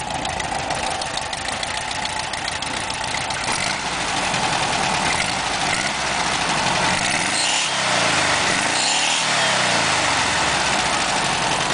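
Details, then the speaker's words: VW Super Beetle air-cooled flat engine with new spark plugs, wires and distributor, original oil bath air filter, rebuilt transmission, compression 125–140 psi: buzzing idle then revving up smoothly and settling back, strong and healthy; normal revving. "I've tested all the cylinders and they range from 140 PSI to 125 psi so my engine is a really good engine in there"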